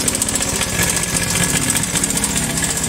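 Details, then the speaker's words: Carbureted Honda Vario 110 scooter idling with a fast metallic tik-tik clatter like metal knocking. "Masalahnya adalah sepeda ini mengeluarkan suara berisik. Mari kita coba memulainya. Jadi, bunyinya seperti ini. Bunyinya seperti logam yang berbenturan seperti"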